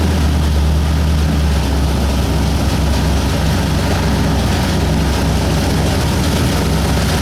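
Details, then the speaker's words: 1960 Ford F100 with 351W V8 after carb clean, first start: steady even low rumble with no stumbling, oil light went off as soon as it started; motor sounds pretty good, normal idle. "so well started and ran oil light went off as soon as it started"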